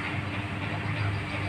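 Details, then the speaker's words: Miyako electric fan switched on gives a low steady hum with weak airflow, needing a hand push to start spinning and then turning abnormally weakly; fan motor struggling, cause not yet identified. "ser ketika dihidupkan ada suara dengungan dan minta bantu diputar tapi tidak normal putarannya itu"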